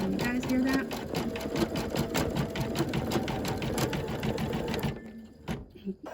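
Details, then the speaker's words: Embroidery machine stitching a design, giving rapid taps with an uneven beat and occasional missed or doubled strokes. The thread broke, and an old needle is suspected and not confirmed: skipping stitch sound. "thinking yep I'm thinking I'm missing the thread the thread kind of broke off I guess I'm wondering if I need to change the needle because I don't remember the last time I changed the needle"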